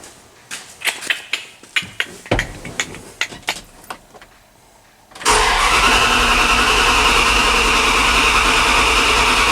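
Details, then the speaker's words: 1998 Dodge Ram 1500 twin-turbo 5.2 Magnum V8 on newly wired MS3Pro Evo standalone ECU with coil-on-plug: several seconds of uneven, sputtering cranking before catching and running steadily; hard start, owner suspects too little cranking fuel. "So I'm thinking we need a lot more fuel, especially on cranking. Let's see if it fires up."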